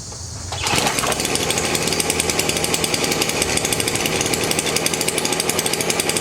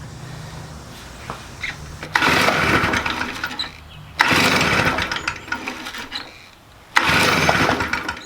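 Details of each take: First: Stihl BR400 leaf blower, about 20 years old, after replacing the flooding carburetor with a cheap aftermarket one; fires on the first pull straight to a steady, even high-pitched buzz, no sputter or hunting, normal start and run. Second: Stihl BR400 leaf blower, about 20 years old, flooding every start attempt before carburetor replacement; three rounds of rapid pull-cord yanks with only brief coughs, never runs, flooding from faulty carb.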